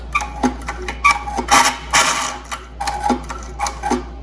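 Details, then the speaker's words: 1972 Evinrude Fisherman 6 hp outboard recoil starter with newly wound rope, before lubrication: irregular bursts of dry ratchety clicks and rasping as cord pulls and rewinds; sounds dry, needs lube. "sounds a little dry, don't it? I'm gonna put a little white lithium on here."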